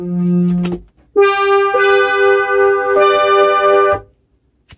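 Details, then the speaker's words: Casio CZ-1000 synth with its 500-ohm VR4 DAC calibration trimmer back in circuit, set to about 240 ohms: clean sustained notes and chords hold steady pitch with no dropouts. Polyphony sounds right; normal audio output. "but here's polyphony now we're sounded right"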